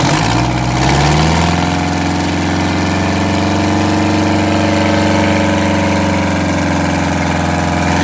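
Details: Detroit Diesel 8V92TA in a Wanderlodge RV: loud, deep idle with an uneven, lumpy beat and a dropping cylinder. A misfire, with cracked, scored liners along with a bad injector.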